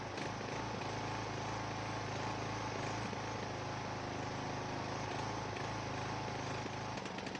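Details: Ariens 42" geared riding mower, 17.5 hp Briggs & Stratton (31C707), Nikki carburetor, long neglected; after new fuel filter and fresh gas, fuel flow fine: ragged uneven chugging, hunting, smooth only at certain throttle positions; owner suspects carburetor issue, unconfirmed.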